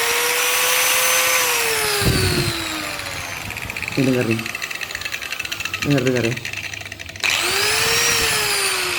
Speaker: gerinda kalau udah oglek bunyinya kayak gini nih aduh Aduh ngeri banget koplak dipegang-pegang